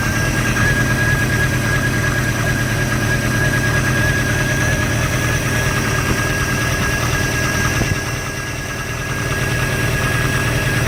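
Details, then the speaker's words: 1986 Sea Ray inboard engine idling with the water running, after the earlier noise was fixed: uneven, loping beat of about three pulses a second; rough idle, cause not yet found, compression check planned. "so now what I'm dealing with is the high is the rough idle and I was going through my manual and man there's a probably 20 things that it lives for a rough idle"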